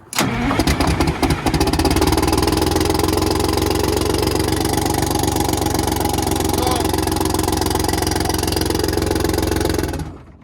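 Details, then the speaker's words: 6V92 Detroit Diesel bus engine, cold start during a rack and valve adjustment check: it fires up loud but slightly uneven for about ten seconds with not all cylinders firing, then shuts off. "So that's when it's firing when not all of them are going."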